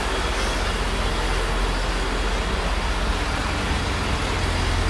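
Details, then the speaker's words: Rallye 1.3 engine after reassembly, heard at the tailpipe: even, unbroken low rumble, no puffing or ticking, much less noise than before, reaching temperature; normal idle. "a primeira como é óbvio n é mas agora já faz muito menos barulho"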